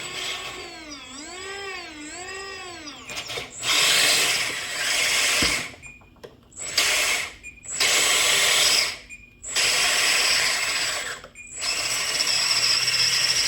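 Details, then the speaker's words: Lesu 850K RC bulldozer right track motor, reassembled after failure: repeated harsh high-pitched screech each time motor runs, left motor silent; pinion sits high meshing only half the teeth, gear mesh screech from misaligned pinion. "I was still getting a screeching sound after I reassembled this out of the right motor. The left motor is silent. And I took this apart and the sound is actually coming from back here."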